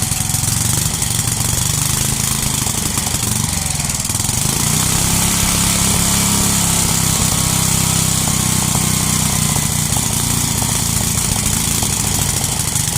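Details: 33-year-old Homelite 8 hp 4,400 W yard-sale generator: rough but steady single-cylinder drone at even speed, no misses or surges; makes power but leaks gas. Normal running.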